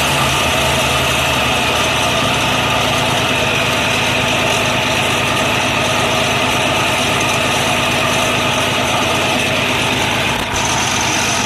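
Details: 1948 BMW 321 on its first start after 20 years of storage, cylinders given WD oil a week earlier, carburettor not original, 12V electrics: steady, even idle with a light mechanical clatter, no misses or knocks; normal.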